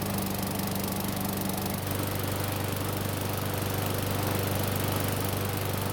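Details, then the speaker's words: Free Murray mower, given away over carburetor trouble, hot after several minutes of running: steady, even putter at constant speed with no misses or knocks; it starts fine, runs great and restarts hot. "There's practically nothing wrong with this free lawn mower. It started up just fine, ran great, and even started back up when it was hot."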